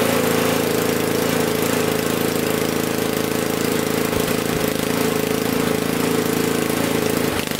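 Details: Honda HS520 snowblower after cleaning gummed carburettor in place, started on choke: small petrol engine at a steady, fast, even beat with no stumbling or surging; starts and runs cleanly.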